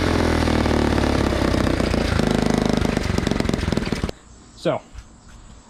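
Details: 1980 Honda CT70 minibike, first start attempt after replacing the fouled spark plug, hot-wired off the magneto: single-cylinder pops in quick even beats about four seconds then shuts off; engine runs fine.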